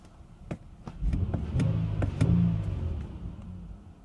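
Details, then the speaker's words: 2010 Nissan Murano Z51, before throttle body cleaning: idle swells and sags over a few seconds, tachometer needle occasionally jumps; idle hunting, owner hopes cleaning the throttle body fixes it, cause unconfirmed. "Плавают обороты вот на холостых, она стоит, работает. Обратите внимание на стрелку тахометра."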